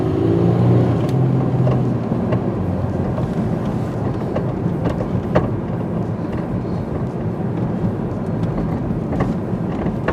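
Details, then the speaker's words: 2001 Pontiac Grand Am test drive after front wheel bearing/hub and outer tie rod end replacement: irregular hollow clunks over bumps through road rumble, unrelated to that work; suspected worn rear strut. "Don't mind the clunking. That's not from any tie rod work. That's just from, it sounds like the rear strut's going to blow through the trunk floor."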